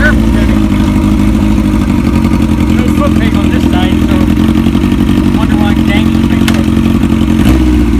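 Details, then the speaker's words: 1981 Kawasaki KZ1000 CSR four-cylinder engine (pulled from a KZ1000M frame) after new oil, new plugs and spark advance service, sounding stronger: steady, even beat, smooth exhaust note, no misses or knocks; healthy motor, doesn't smoke. "that's how it's supposed to sound right there that's a good motor"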